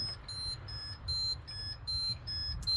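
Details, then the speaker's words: 2003 GEM E825 electric vehicle on charge just after its batteries were topped up with distilled water: the charger sounds a steady two-tone warning beep, alternating high and low about twice a second. The speedometer is also moving around and the fuses are fine; cause unknown. "I just filled u all my batteries with um distilled water and it's making this noise right now. I don't know why. It's coming from the charger."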